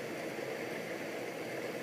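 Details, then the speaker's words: Vintage Sears Coldspot Thirty dehumidifier, about 40 years old, basement, just switched on via humidistat: compressor kicks on right away into a soft steady hum with even hiss, no knocks or rattles; normal, very quiet running. "and there it goes and the compressor kicks on right away and like I said this thing is unbelievably quiet"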